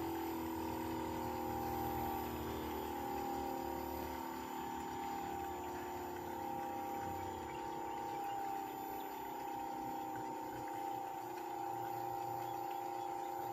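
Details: Bosch heat pump in a normal defrost cycle: a quiet hum whose tones glide up as the compressor ramps, then back down with a soft shift; normal defrost sequence.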